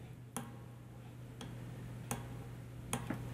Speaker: I don't know if it'll pick it up on the microphone, you can actually hear it clicking as it goes against the stop.